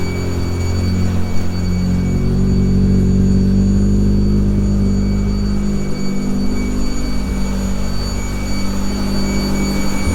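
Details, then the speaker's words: Classic Mini with swapped engine, full exhaust system and oxygen sensors fitted, first run: steady idle with a fast puffing tick on the exhaust note, a few small blows at the exhaust manifold still to fix. "so that is the engine running uh the exhaust full exhaust system much quieter than it was with that one a few little blows on the exhaust manifold i've got to sort out"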